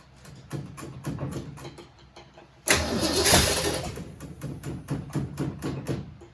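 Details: 1967 Mustang C-code 289 V8, four-speed, after a new fuel pump and filter: uneven cranking, then it catches with a surge and settles into a lumpy, irregular idle. Owner says it has carburetor issues but it runs; carburetor suspected.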